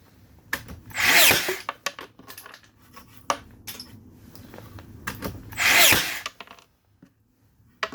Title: Makita DBN600 misfiring